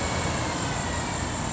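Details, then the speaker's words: 2006 Impala, smaller slower radiator cooling fan commanded on by an OBDII app bi-directional active test: steady airy rushing whoosh, no ticking or rubbing; normal cooling fan running. "so basically i can turn like this one fan on okay i think we can hear that right okay so that's the small the slower fan for the smaller fan and i can shut that off right"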